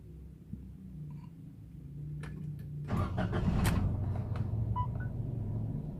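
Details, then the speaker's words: Toyota Agya/Ayla with manual gearbox, restarted after the accelerator was pressed ten times to reset an ECU that had erratic high and dropping rpm: it cranks and catches, then settles into a raised, steady warm-up fast idle with no misses, normal after the reset. "nah biasanya setelah kita Nyalakan mobil yang tadinya RT nya eror itu atau mobil anda yang tadinya error biasanya erviani itu setelah dinyalakan akan berada di sini di angka dua garis diagram ini"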